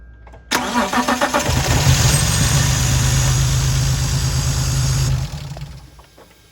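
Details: 2004 BMW 325ci E46 with M54 2.5L engine, after diagnosing and fixing a crank-no-start and priming fuel: about a second of steady cranking, then catches and settles into an even idle; owner notes a separate boot issue still affects running.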